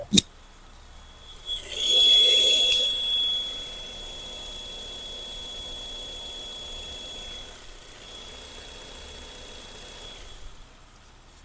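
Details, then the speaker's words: 2016 Ford Mustang 2.3 L, mic low on the engine at idle: a constant steady high whistle, diagnosed as an internal vacuum leak in the vacuum-controlled engine mount; mounts being replaced. "whistling sound coming down there on that side. I know what that is, actually. That's a vacuum controlled motor mount, believe it or not."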